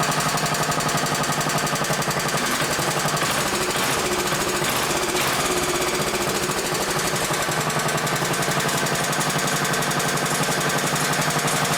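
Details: 1960s-era roughly 10 hp Briggs & Stratton (Hale fire pump), recently tuned, plug cleaned, fresh oil, some old fuel, started on choke: fast, steady, even single-cylinder firing with no misses or knocks; normal running, though a bit smoky (owner suspects rings).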